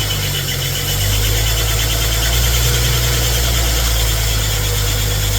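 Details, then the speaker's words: Freshly rebuilt AMC 258 4.2 in a 1981 Jeep CJ7 during break-in run: even idle with thin steady high squeal and faint light ticking; belt squeak, owner suspects powder-coated pulleys. "Also, you notice that there's a little bit of a squeak. That was the belts. I think one of my belts as well. I had powder coated some of the pulleys, so I think that was causing a little bit of squeak."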